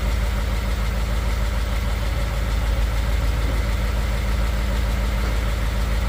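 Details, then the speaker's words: 2015 Ford F150 Coyote V8, fresh VR1 20W50 oil, mic on toolbox; steady cold idle with light fast ticking about three per second heard by exhaust, usual Coyote tick that fades within a minute or two once warm. "It's got the little coyote tick that's going on, which happens all the time. Here in a minute or two it'll go away. You don't hear a coyote tick from the engine, but you hear it by the exhaust."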